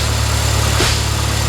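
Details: 2003 Pontiac Vibe GT, Toyota 2ZZ-GE four-cylinder, after new alternator and belt installed: smooth even idle, steady low hum, no belt squeal or chirp; sounds healthy.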